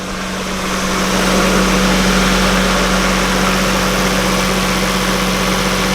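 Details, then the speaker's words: Northern Lights 12kW diesel generator after a new cylinder head, valve adjustment, coolant change and fuel bleed, heard from inside at full load: steady, even drone with a constant hum, no knocks or misses; running well. "let's walk inside and just poke your head down into the to to hear how wonderful that generator sounds it's running at full load"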